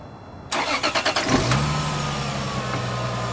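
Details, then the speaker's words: Lexus IS300 petrol engine after spark plug change: cranks briefly, catches and settles into a smooth, even idle with no knocking, ticking or misfiring, which were the faults removed. "everything seems to be in order no knocking no ticking no misfiring that's what we got rid of"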